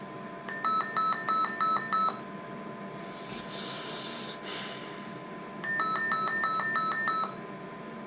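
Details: Service monitor input overload alarm, bursts of about six shrill beeps separated by a pause, triggered while probing the receiver near the crystal lattice of a deaf Motorola M120 (GM300 variant) radio.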